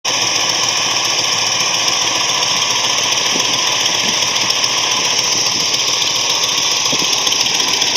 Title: Ford 390 engine knock